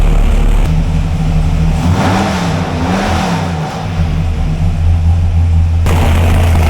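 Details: 572 cubic inch Hemi V8, nearly 220 psi cylinder pressure, warming up on 94 octane: swells through a rev and settles to a steady, even rumble with air-fuel ratio sorted, no flames or backfires. Head gasket leaking water at three corners.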